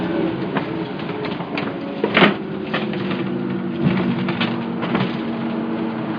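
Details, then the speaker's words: Bus conversion just after an engine rebuild, test drive in a parking lot, heard from the bedroom with the engine beneath the bed: steady low diesel drone with body rattles, running smoothly. "the engine would be like underneath the bed so it'd be like kind of right if I was pointing the camera through those pillows can we do like the windows open back here which we normally would have all underway you can kind of hear it from inside"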